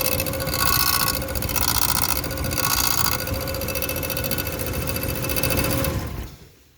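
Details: 2011 Ram, about 10 years old, running cold with a quick metallic rattle and ringing rub, roughly three or four a second. A bent bellhousing inspection plate, missing an edge bolt, touched the flexplate; it was first thought to be the torque converter bolts.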